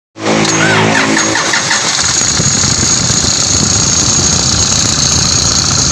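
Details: Engine just after start-up with sharp steady high squeal over running noise; suggests dry belt tensioner or idler pulley bearing, noise worsened after earlier repair attempt.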